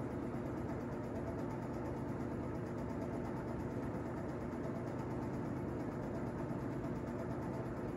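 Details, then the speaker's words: Vintage Toastmaster box fan Model 5327, roughly 50–60 years old, apparently oiled and kept clean, on low speed: smooth, even whoosh with a low steady hum and no rattles or ticks; a healthy, well-maintained fan. "really nice low speed so this fan seems i guess pretty typical of a fan that was taken care of"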